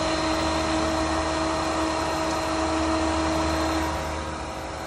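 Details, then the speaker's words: Pentair SuperFlo VS variable-speed pool pump on scheduled speed two (between nine and five) as solar is switched back on: steady, even motor hum with water rush, easing slightly near the end; normal running. "right now it's between nine and five so we should be running speed number two"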